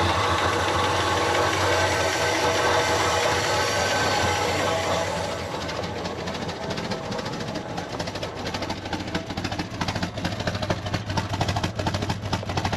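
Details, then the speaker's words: Cheap Chrysler CM Valiant sedan on its first start attempt, fed fuel from a drum: loud, harsh start settling into a lumpy idle with about two ticks a second. Rough running, cause unconfirmed; a whirring is suspected as the water pump. "sounds like a bit of an old tractor at the moment"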